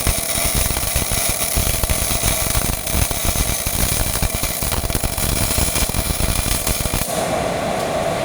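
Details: Old Miller-Matic 251 MIG welder at 21 volts and 366, welding pipe fittings: a steady, even frying crackle with no pops or sputter breaks, wire feed and voltage well matched for a clean arc; normal MIG welding arc.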